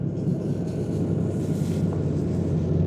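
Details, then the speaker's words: 2017 GMC 2500HD L5P diesel with P20E8 low reductant pressure, service DPF regeneration at 2,000 rpm in near-freezing weather, hood closed: deep steady jet-like roar at raised revs; normal regen. "it's running the engine at 2,000 RPM I'm sure I don't have to open the hood today it's near freezing let's run it let it run through this"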